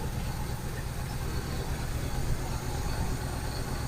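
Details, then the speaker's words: 1971 Buick Skylark: steady low idle rumble, no knocking or ticking, some smoke, probably from burning off Mystery Oil; needs oil change, idle may need setting, some vacuum lines possibly disconnected. "but I'm not hearing any major knocking or nothing. But it does need an oil change."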